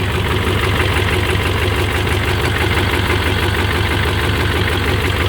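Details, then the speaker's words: 6.5 diesel truck that takes 30–45 s to start, with a new PMD relocated into the cab: an uneven, lumpy idle with a loose knock about three per second. Rough running; owner suspects excessive blow-by, and it later surges. "As you can see, it runs extremely rough. Doesn't really make any additional noises that I see that's not supposed to be. It's a noisy truck anyway."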